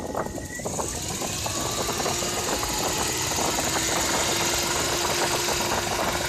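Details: Toyota 1JZ-GE engine with a spun rod bearing: a sharp, fairly regular knock about four per second over the exhaust drone. It knocks for two seconds on cold start and at 3000 rpm, including while driving at 3000, but not at idle.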